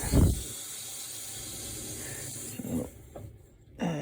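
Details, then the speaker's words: Outdoor faucet line repaired after freezing, copper converted to PEX, main turned on: steady soft hiss of water flowing through the pipe with some handling bumps; even, normal flow and no leaks. "Okay, we hear the water going. Do not see any leaks."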